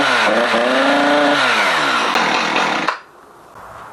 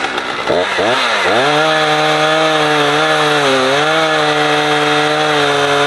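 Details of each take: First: Husqvarna 455 Rancher chainsaw, revved outside: engine climbs to a buzzing howl but plateaus, won't reach proper top-end RPM and drops off. Removing the air filter didn't help. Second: Husqvarna 455 Rancher two-stroke chainsaw, warmed up, cutting a heavy block; it had choked when warm. High steady scream dips slightly biting in, pulls back cleanly; old filter discolored brown.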